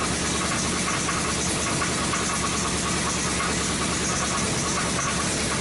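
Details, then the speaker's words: Rebuilt 2005 Chrysler 300C 5.7L Hemi, first start after rebuild; rough idle with dull repeating knock under loud clatter, sounding like rod knock, cause unknown; smoke from oil spilled on headers. "you hear that that sounds like a fucking rod knock and for what reason is knocking i have no idea so that sounds like shit"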